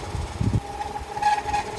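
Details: Wall fan running with a steady thin squeal over its rumble from dry motor shaft bushings; fix is unplugging, removing the four end-plate screws and oiling the shaft and bushings with a syringe.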